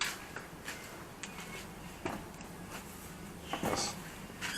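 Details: Squeaking brake caliper on a Porsche Cayenne: faint, short squeaks at uneven intervals; the squeak was gone after pressing the brakes.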